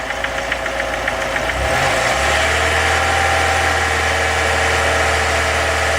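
Under an even idle hum there's a regular tapping, roughly three or four a second, that tracks engine speed; it's an engine knock, cause undetermined.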